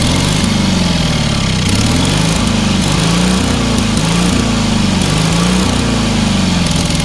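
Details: Small single-cylinder engine on a trailer-mounted cherry picker man lift, half throttle, water found in the oil and corroded intake: loud steady drone, note drifting gently up and down, no misses or knocks; normal running.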